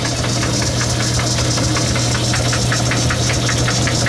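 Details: Logan lathe cutting: steady motor hum under a fast, even clacking about four or five times a second, caused by a broken gear tooth.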